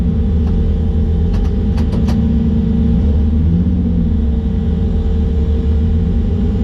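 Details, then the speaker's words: Drag car after burnout at the track: loud deep rumble with uneven, lumpy note at steady revs; driver felt a misfire after coming out of the burnout and backed off the line; cause unconfirmed. "so during the burnout started to feel like well during the burnout felt fine I did the burnout normally but then after I came out of the burnout I started to feel like a misfire"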